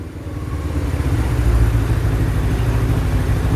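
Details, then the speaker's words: 2007 Suzuki GS500F air-cooled twin, revived after sitting, fan cooling it, warming up, no leaks: steady low throb swelling smoothly as revs rise and holding even, no ticking or misfire; normal idle with revs. "She's running. Been running great. I do have a fan since it is air cooled."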